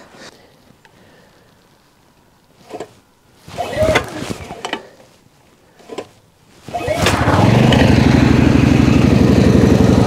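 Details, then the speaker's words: PowerSmart MB5040B 4400-watt generator, cold start after sitting outside overnight at 25°F, with choke fully on and eco mode off. After a few handling knocks it catches and settles into an even, steady single-cylinder putter at no-load idle, running smoothly. "it's now running smoothly"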